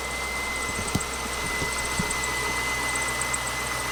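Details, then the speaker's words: 180K-mile C5 Corvette Z06 LS V8 cold start idling: thin steady high squeal and light chirping from the belt drive caused by a shot harmonic balancer, high-priority replacement. "that chirping noise and the ls's propensity to eat harmonic balancers we've got to take a look um you tell me that's obvious that harmonic balancer is shot"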